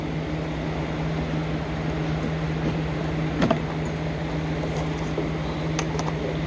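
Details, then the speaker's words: 2004 Mercedes C230 W203 1.8 engine, A/C blowing 55-degree air, after replacing a relay with A/C on: the electric cooling fan now runs with an even, steady low hum, no rubbing, ticking or wobble; fan normal, A/C problem not fixed. "but this did not fix my problem it just made the fan come on the cooling fan"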